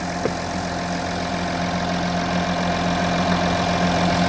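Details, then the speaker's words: Audi Q7 engine idling: smooth, even idle with a steady low hum and no knocks or misses, system voltage about 14.2 volts, so the charging system is working normally. "as you can hear the engine is running and our system voltage is 14.23 volts so it's kind of bouncing around so that's good 14 volts at idle is good"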